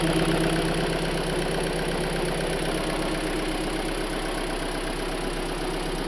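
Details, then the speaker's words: Hyundai Elantra, from a rod knock before-and-after rod bearing replacement: petrol engine idles smoothly with only a light, quick tick of about four per second on top. "Oh, you hear it? You don't hear it? A little bit. I got tick, tick, tick, tick."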